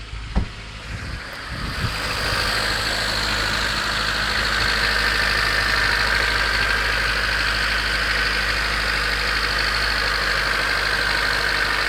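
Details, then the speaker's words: 1991 Honda CRX DX, D15B2 dual-port, 300,000 miles, cold start at about 30 degrees: a steady light ticking clatter at idle, roughly three to four per second. Owner is unsure whether it is rod knock, piston slap or valve clatter; it sounds better as it warms up. "so is that rod knock is that piston slap valve clatter everything not sure"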